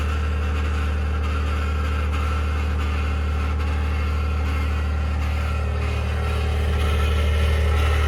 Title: 2021 Ford F150 Powerboost Cold start Cavitating/Grinding Noise - November 6, 2022